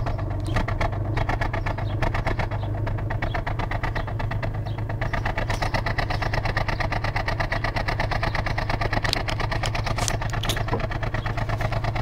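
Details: 2004 Ford Falcon XR6, about 101,000 km: uneven, stumbling cold-start idle misfire lasting 30-60 seconds after sitting overnight; inlet and exhaust gaskets, coils, plugs and fuel filter already replaced, compression tested; cause not yet found.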